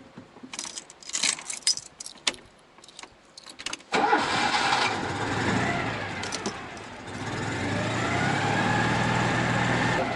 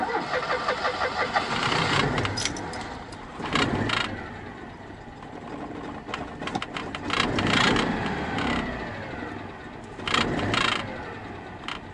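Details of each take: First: Citroen 2CV restarted at idle: engine catches cleanly and settles into a smooth, even idle with no rattle or knock; normal idle. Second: Citroen 2CV flat-twin at idle: loose irregular buzzing rattle swelling in bursts, changing when clutch or brake pedal pressed, thought metal against metal; traced to a rubber grommet that had come out.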